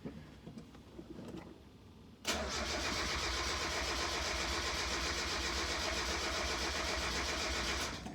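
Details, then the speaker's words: Mazda Miata NA after reinstalling camshafts with cam gears torqued to 41 ft-lb, coil pack unplugged to prime oil: even starter cranking about four compression pulses a second, smooth with no pops, ticks or knocks; normal cranking. "okay that sounds pretty normal now let's plug in the coil pack and see if it runs for real"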